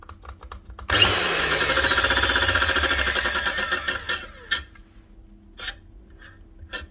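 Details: Nearly new angle grinder with its guard cut through and a wobbling blade: the motor spins up with a fast rattling chatter and rising whine before the blade turns, then coasts down unevenly; something sheared in the gearhead, slipping instead of driving.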